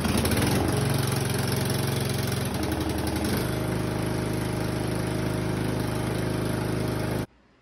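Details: Tractor small engine with choke on starts and runs smoothly after replacing a faulty carburetor fuel solenoid that had prevented starting; it clicks when powered, sounds healthy.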